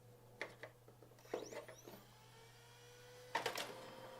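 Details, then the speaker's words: Printer that had been left out in the rain, untested before power-up: low mains hum under scattered clicks and short irregular motor whirs. It smells like a well-used hair dryer; printer error on power-up. "ooh ooh it smells like a uh like a well-used hair dryer um that that doesn't look good"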